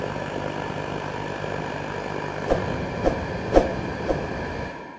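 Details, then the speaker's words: Riello RDB kerosene oil burner on temporary supply, before repair: after reset and purge, pressure comes up but flame detaches and won't catch; fan roar then four sharp pops before dying and locking out; contaminated nozzle, fixed by replacement. "so come up to a power of pressure which is right but it just didn't catch you know the flame is off out here it's it's detached"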